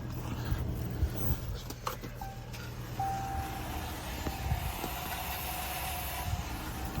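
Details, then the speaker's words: 2015-2017 Chrysler 200 3.6 V6, loose negative battery terminal zip-tied tight, attempting to start: thin steady starter whir with no cranking; starter drive not extending to engage, possibly overheated/worn from loose connection, so starter needs replacing. "she's just going in there and not extending, so it does still need a starter."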